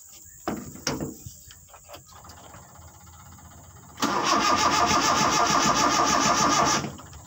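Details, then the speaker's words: Car engine cranked while trying to start it without the ignition key, using jumper wiring: a few clicks, then about three seconds of steady starter churning; it never fires. Owner suspects the wrong circuit was connected. "Nggak hidup ya, harus gas. Kita imbangi gasnya. Ternyata tidak hidup teman-temannya, mungkin salah jalur yang kita sambungkan."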